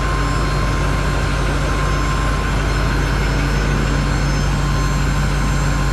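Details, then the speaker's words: 2021 GMC Denali Duramax diesel after rebuild, first start after sitting since November, good oil pressure: loud steady rumble with a thin constant whine above it, growing quieter. Owner suspects the in-tank lift pump, possibly air in the fuel system. "yeah it sounds like it's coming from the lift pump inside the tank I don't know it's getting a little quieter now but maybe it just had a bunch of uh bunch of air in it"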